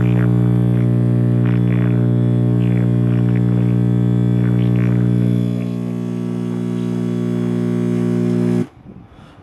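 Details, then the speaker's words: 1965/66 GE C1530 hybrid tube clock radio, first power-up after replacing the 35W4 tube: loud steady low hum drowns a faint station until it cuts off; suspected bad filter capacitor letting mains ripple through. "Okay, we have tube illumination now. Sounds like we have a bad filter capacitor."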